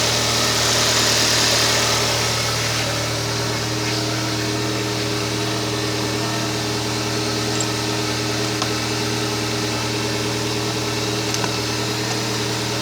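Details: Kia Spectra at idle: constant thin whine above the engine hum with a light regular pulse; bad alternator noise.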